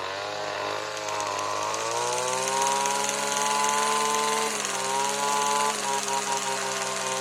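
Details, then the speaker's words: RedMax two-stroke weed eater that sat for years, bad carburetor, run on mixed gas with Lucas 2-stroke oil, won't idle; high buzzing revs rise and fall with a rough knock as the throttle closes; owner suspects very low compression: knock on deceleration. "Hear that knock when I let off? That don't sound too good."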